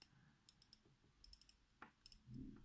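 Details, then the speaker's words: Tisell 157 watch with Hangzhou 9312 manual-wind movement being wound: crisp, fairly loud clicks in quick clusters as the crown turns: normal winding ratchet noise. "you hear this whining sound it's quite loud actually but the first many wine watch that I'm having so okay now we can see that the movement is running at the moment"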